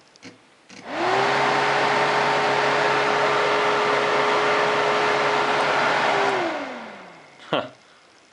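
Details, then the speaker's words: 2001 Honda Foreman 450 ES ATV, fan control module reflowed in an oven and key on, sensor wire grounded: the cooling fan spins up to a steady even whir and then winds down smoothly, working again after the repair. "Let's ground this. And if the fan kicks on, I guess that means it fixed"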